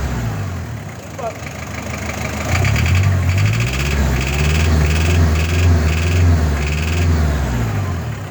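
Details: WL-T diesel revving up and down with rough, uneven pulsing and short higher-pitched bursts over the drone; an unidentified engine noise, cause unknown.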